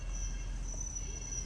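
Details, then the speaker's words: A steady high-pitched screech over low rolling rumble comes from a Dodge Durango with about 64,000 miles and a V6 or V8, possibly a 360, while driving. It was verified as a worn brake pad touching the rotor on one side. "oh y'all hear that guys oh that sounds like brakes it can't be bearings well it can be bearing because i'm rolling"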